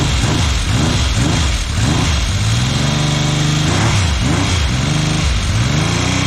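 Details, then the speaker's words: 1979 Yamaha XS750S, rebuilt engine with new timing chain, first start: rough uneven running, not firing on all cylinders, revving with light rattle; chain noise from cam chain tensioner not preloaded correctly. "She's not firing on all cylinders. Not bad. Bit of a chain noise."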